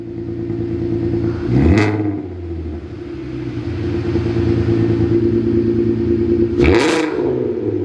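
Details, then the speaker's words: VW Mk5 R32 after installing a new valved exhaust; deep steady drone with two clean rev blips, no rasp or rattle; much louder but healthy exhaust note. "Much louder. Nice. All right, come on back. Definitely loud."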